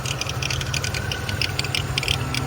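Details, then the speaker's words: Salvage Cadillac Cimarron at idle: fast sharp metallic ticking over steady idle from the belt drive; owner suspects the power steering pump pulley, with separate reservoir, to be checked with a stethoscope. "all right i've got the old girl home definitely got a bad pulley i think it's the uh that power's staring out the reservoir is separate"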